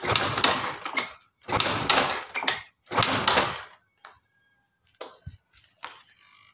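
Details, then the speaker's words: Yamaha Soul GT injection scooter whose injector had not sprayed: three roughly one-second hissy sprays and faint clicks show it spraying normally after repairing the ECU negative wire to the TPS/MAP sensor (black, should be blue). "injectornya sudah menyembur hati untuk kendalanya ada di bagian kabel negatif dari Ecu yang menuju ke sensor Maknya bro atau TPS nya"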